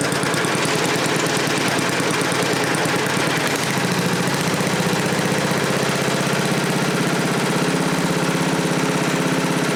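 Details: 1987 Briggs & Stratton 8HP Model 19 flathead, aluminum bore, just rebuilt with new rings, carburetor not yet adjusted, on stand: steady single-cylinder putter speeding up slightly partway, even beat, no knock; running fine.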